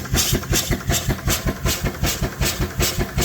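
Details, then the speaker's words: Steam engine driving a 60 V-rated alternator charging a 36 V lithium iron phosphate battery at about 40 V and 30 A: steady chuffs about 2.5 per second over a low hum that firms under load; packing blown, leaking steam; alternator hum normal. "It's leaking a lot out the bottom now, but that's okay. And you can hear the alternator humming."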